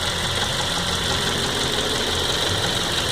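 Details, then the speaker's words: 2007 Ford Focus with the 2.0 Duratec petrol engine at idle: light, fast ticking over a steady hum. Owner unsure if normal; has heard injector rails can be noisy. Cause unconfirmed. "2007 Ford Focus. Just trying to figure out if this ticking noise is normal."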